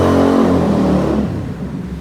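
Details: TVS Ronin single after gear sensor replacement and chain cleaning and lubing: clean even rev winding down smoothly, no rattle or chain slap; normal revving.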